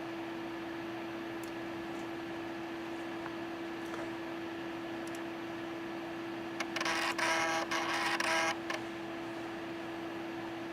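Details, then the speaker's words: Data I/O 2900 chip programmer booting from floppy: quiet steady hum, then a short burst of buzzy chattering seeks under two seconds. Normal floppy drive seek noise. "But I don't know if you can hear the floppy grinding away, but give it a few minutes when that light goes out."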